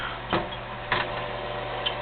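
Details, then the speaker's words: US Stove 5660 bay-front wood pellet stove at initial power-on, before convection blower starts: soft steady fan hum with light ticks of pellets dropping; normal exhaust blower startup. "uh here's the on button you can hear that start up pellets drop exhaust fan is starting up"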